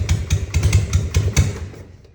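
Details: 1960 Harley FL Panhead, cold hard start. Already done: carb-to-intake spacer replaced and surfaces sanded, new Viton O-rings and clamps, timing, points and gap checked, new plugs, float reset. Ragged uneven firing pops, then it dies; any throttle kills it; cause unconfirmed.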